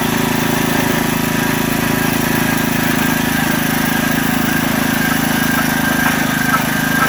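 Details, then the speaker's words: Digger Mobile 550 small-engine auger digging a hole: steady drone with rough uneven beat, dipping now and then and nearly stopping as the auger hits big chunks of buried debris; engine bogging under load. "As you can hear, it kind of stopped a couple times. I was hitting a couple of big chunks of stuff."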